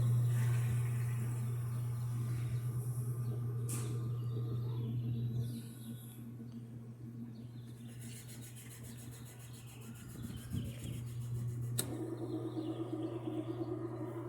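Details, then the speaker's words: American-style top-load washer that would not agitate and made noise, after refitting the agitator and tightening its bolt: steady low motor hum spinning up with no knocking or grinding; normal spin cycle after basic repair. "Vamos a ver si ya funcionó el centrifugado."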